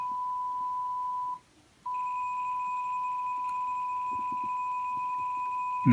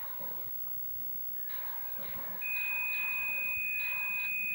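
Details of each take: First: Mach 3 arcade game with Dexter laserdisc replacement board, test mode after adjusting R39: steady clean beep near one kilohertz with one short dropout. Normal, stable decoder test tone, typical for these boards. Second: Mach 3 arcade game with Dexter laserdisc replacement board in attract mode: a steady high-pitched tone comes in over the game audio. The target data signal meant for the targets is audible, so the audio cables are reversed.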